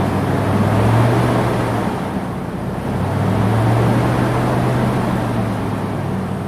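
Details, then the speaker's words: 10th-gen Ford F-150 with a newly installed V8, first start and break-in cycle, warmed up to temperature: smooth, even drone that rises and settles with the throttle over fan noise, no knocks. Runs great with good oil pressure. "But major thing is the motor. It run great. Oil pressure is great. It got up to temperature."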